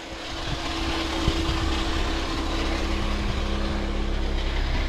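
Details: Saturn car converted to a truck, just started after long storage and wiring work: low, steady engine drone with even hum, no knocks or misses; smooth healthy idle.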